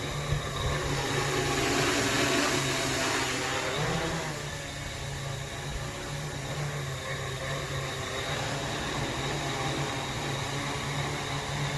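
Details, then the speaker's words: Small whoop drone motors whir in flight, one squeaking off-pitch from a bad bearing; that motor was later pulled and replaced with a new one. "you can hear that one motor just sort of squeaking differently it had a bad bearing so I pulled that motor and put a new one in"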